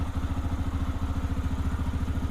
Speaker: You can see it's idling right between one and two. So, it's about 1500 RPM and it's stone cold.